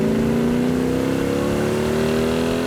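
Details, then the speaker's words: Road Runner-based V8 with dual quads under acceleration: strong smooth snarl rising in pitch as revs build, chirps on let-off, no knocks or rattles. Normal healthy engine pulling hard. "That is one snarler of an engine. I can see why they like the exhaust. That does sound really good."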